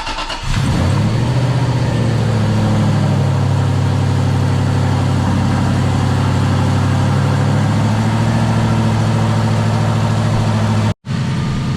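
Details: Aston Martin V8 Vantage restarted while the cooling system is refilled and bled, waiting for the thermostat to open: it catches quickly and settles into a strong, even idle. No visible water leaks; it runs clean.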